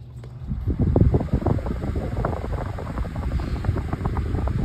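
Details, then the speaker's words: Lasko model 2000 oscillating fan on low speed: steady soft even low rush of air with no rattle, tick or scrape; very quiet yet strong, blows a lot of air; normal running. "so it does blow a lot of air it's very strong even on low speed it's extremely it blows a great amount of air I'm just an amazing fan I really do love it"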